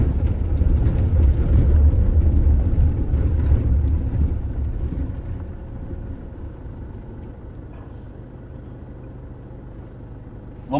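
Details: Toyota Hilux (2005–2015 generation) driven on asphalt after brake pedal play was fixed and the pedal reassembled; low steady engine and road rumble, no knock under the cab, brake pedal knock gone.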